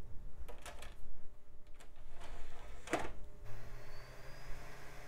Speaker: and it spins up sounds good so far let's see yep perfectly fine